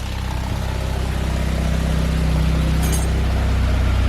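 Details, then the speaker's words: 1997 Saab 9000 CSE A50 with performance mods idling with a trash bag stuffed in the exhaust: low even steady idle, soft regular pulse, muffled exhaust, no knocks or misses; smooth, runs with no problems. "Hear how silky smooth that engine is, man. Sounds so bad with the trash bag in the exhaust. But yeah, runs no problems whatsoever."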